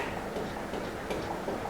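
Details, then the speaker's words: GMC 56-inch industrial ceiling fan on wooden mount, running: quick repeating ticks and rattles several per second in step with rotation; fan wobbles from bent, uneven blades, worst at speeds 2–5. "Ya, benda itu bergoyang dan mengeluarkan suara lagi."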